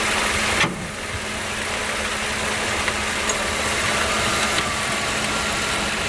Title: Ac Compressor Noise